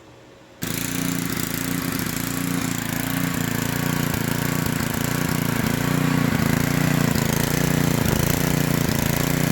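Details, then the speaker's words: Small generator engine surging, slow uneven rise and fall in speed instead of steady governed hum; carburetor removed and cleaned several times, adjustment screw helps but keeps vibrating back out — hunting RPM. "so as y'all can see we've developed quite a surging situation on this motor here and I've took this carburetor off I've cleaned it several times"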